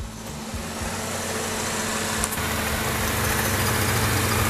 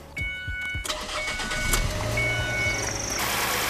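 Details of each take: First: Ford Escape 2.3 Duratec after used cylinder head install, hot idle after drive with AC on: light, fairly regular metallic rattle, suspected external accessory drive, not internal; unconfirmed, electric fan noisy. Metallic rattle at idle. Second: Ford Escape 2.3 Duratec after a used cylinder head install, restarted after cooling down and topping off fluids: brief cranking, clean catch, then a smooth, even idle with no knocks or misses; normal start.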